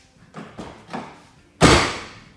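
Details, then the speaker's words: Knuckle taps and a hard knock on the door of a 1MZ-FE V6-swapped Toyota MR2 SW20 leave a loose, buzzy ring fading away: a rattle inside one door panel; the other door stays quiet. "they'll show you here that bit in the door here there's something rattling the other no one doesn't do that listen to this so today I'm going to figure out what the hell that is"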